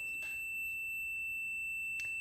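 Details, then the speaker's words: Zenith 5S119 antique radio variable tuning condenser tested with a meter before going back on the chassis: a steady high-pitched continuity beep, meaning bent vanes are touching and one section is shorted. "my friends is the not so sweet sound of a shorts yeah let me go and turn this down here"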